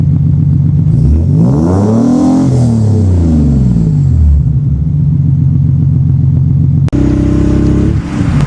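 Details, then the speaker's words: Nissan 300ZX Z32 (VG30DE), bought with a blown motor and a hacked exhaust being refabricated, after resetting the TPS and swapping ECUs: engine revs up cleanly, falls back and settles to a smooth even low drone, far better than before; healthy exhaust note. "Way better than it used to sound. So I would say that that's definitely a win."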